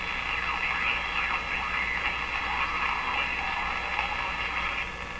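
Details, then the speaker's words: Electrohome PK-104 five-tube clock radio being tuned near 680: over the hiss a fairly high whistle slides in pitch and drops to zero as a station tunes in; heterodyne whistle, suspected to come from bad capacitors. "you can hear that there's a heterodyne as i tune in there's a heterodyne pitch it's fairly high now it goes down to zero as i get it tuned in"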